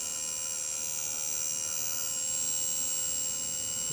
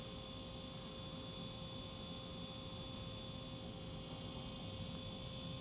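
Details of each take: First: Quadcopter motor 1 (CW) brushless motor at low throttle around 1032–1042 microseconds: high-pitched whine with rough buzz and faint uneven ticking, motor slow to start; bad motor buzzing and ticking. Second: Quadcopter brushless motor spun on its own through ground-control software while suspect motors are checked: a steady, even high hum with no rattle or scratchiness; this motor runs smoothly and sounds healthy.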